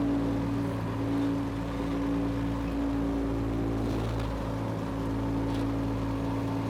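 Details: Power Trac 1850 diesel tractor with the mower spinning, after all fluids were changed. Even, steady diesel drone with no misses or knocks. Normal running, everything runs great.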